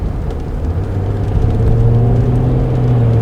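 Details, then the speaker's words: Citroen C6 automatic after stopping and restarting: engine hum climbs and steps down cleanly through second to fifth gear, no shudder, trembling or hesitation; gearbox shifting smoothly. "Second ... third ... Fourth ... fifth ... Done, it has changed all gears. And it's not trembling anymore, did you notice that?"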